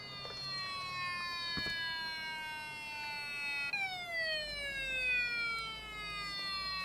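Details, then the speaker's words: IBM ThinkPad 760 at power-on, after a bad-sounding hard drive and error I9990305: a falling high-pitched siren-like wail that drops abruptly and sweeps down again, then gets louder; cause unknown. Siren-like alarm tone. "What is that noise? It's like it was stolen or something. That's hilarious. That is really funny. Whoa, now it's louder."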